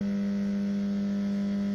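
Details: Microwave oven gives a loud, steady low buzz with a strong hum tone, the sound of a failing magnetron.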